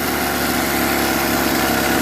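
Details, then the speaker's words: Homelite 42cc chainsaw after a full carburetor disassembly and cleaning, including gaskets and diaphragm: even, buzzy idle with no surging, misses or stumbles, and it revs well, so the carb clean fixed the no-start. "idle's good rev's good that's all it needed was a carburetor clean"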